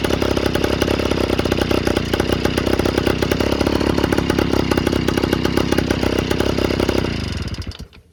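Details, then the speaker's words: Yamaha Towny two-stroke with aftermarket exhaust just fitted, not fully bolted: raspy crackling idle with spitting puffs each firing, then dies; gas leaking at the loose exhaust joint. "Alright, so all of that is leaking out. It's not what it's supposed to sound like."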